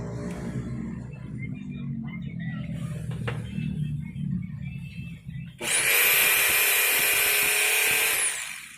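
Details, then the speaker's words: Makita HR2230 rotary hammer after repair for weak, low-power running (wave spring refitted), test-run before bolting up: rhythmic hammering, then a steady, even high whir at full speed; power restored and running normally. "OK, great, the power has recovered again, now let's just bolt everything and for the concrete and drill settings, it's usually normal, okay?"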